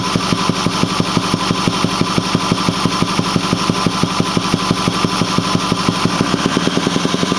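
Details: Ford 6.4L diesel at 208,000 km (129,000 mi) with a Banks 6 Gun and Ram Air air cleaner: steady idle with a dull thump from the intake a little under once a second. The engine runs smoothly with full boost and power; the cause is unknown.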